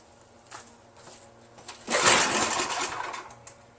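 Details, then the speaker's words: Troy-Bilt TB70SS 33cc two-stroke string trimmer after carburetor reassembly: buzz swells and sags instead of holding steady, surging when throttle is eased off high; better than before, owner suspects another clog in the carburetor. "So it's still it's better, but it still surges a little bit."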